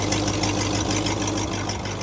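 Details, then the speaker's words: 62-year-old Cadillac with 390 V8 and Edelbrock carburetor, Ghostbusters replica: smooth even idle with steady low burble, no knocks, ticks or misses; always starts, idles for hours without overheating. "So you can see it runs really well. The car always starts up. We've let it idle for hours on end. Doesn't overheat. Great running old car for 62 years."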